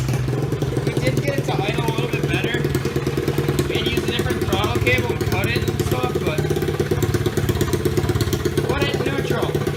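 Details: Pitbike, 2005 CRF50 frame with 125cc Lifan single, exhaust cut off: loud, rapid, even popping at steady idle with no knocks or misses; running fine after repair.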